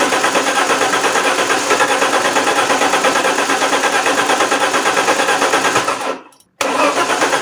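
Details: Alfa Romeo 164 2.0 V6 turbo that cranked without starting, during relay and fuel pump troubleshooting; engine catches, runs roughly a few seconds, cuts out abruptly and restarts; won't stay running, cause unconfirmed.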